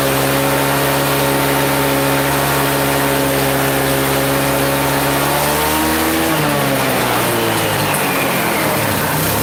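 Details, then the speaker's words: Chinese 150cc scooter with a new carburetor, well warmed up: a steady buzz then pitch drops and wavers, won't keep idle, hard to start and restart; owner suspects a previous mechanic misadjusted the valves, not confirmed. "Real hard to start, which it shouldn't be. It won't keep its idle. And real hard to restart again."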